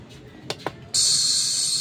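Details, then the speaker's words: Bluetooth speaker where only the tweeter plays: after two button clicks, thin hissy high-only sound with no bass because the main woofer speaker gives no sound, likely from a broken wire. "Ito lang naririnig natin yung pinaka-twitter. So wala yung pinaka-speaker niya walang sound."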